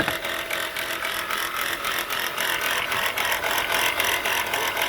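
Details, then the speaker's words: Running engine with a noise reported under the engine area; harsh, tractor-like metallic rattle pulsing about three to four times a second, with the pulley bouncing and brown residue nearby; alternator bearing looks shot. "From the looks of this and the sound of this, look like the alternator bearing is shot."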